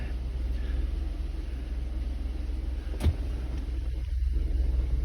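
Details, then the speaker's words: Jeep Wrangler on a lift after a transmission pan replacement, run in gear with the rear wheels spinning: a steady, low drivetrain rumble with no whine, clunk or grind from the rear axle; the brakes are soft and need more bleeding. "Oh, I see spinning on that side, that's good. I don't hear any noises in the rear."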